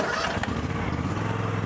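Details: Low-hour John Deere X350 riding mower revived after sitting, fuel drained and replaced with fresh gas: small petrol engine runs at a steady, even beat with no misses, knocks or surging; healthy.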